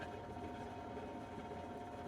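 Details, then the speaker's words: RV camper furnace blower in freezing (-16°C) weather: a steady whirring fan hum with a thin whine on top that grows noisier until shutoff. The squirrel-cage fan drags, so its motion sensor trips the breaker; possibly worn bearings, and oil was applied. "it would run again and then it would get noisier and noisier and then shut off and it's the squirrel cage there's a sensor inside there that shuts the system down or trips that switch if it's not detecting movement of the fan"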